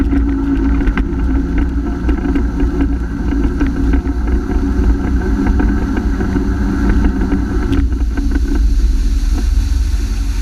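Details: Honda F-12X AquaTrax turbo jet ski at full throttle, speed dropping from 60 to 28 MPH after a new turbo: steady flat, starved drone that never builds; cause was a clogged fuel filter, earlier turbo problem likely a bad actuator.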